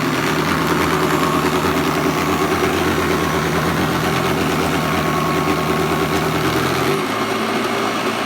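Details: Hoover Commercial C1310 vacuum just after fitting a new brushroll belt: loud motor roar with rapid, uneven clinking about three times a second; brushroll clanking, cause unclear, owner checks belt orientation.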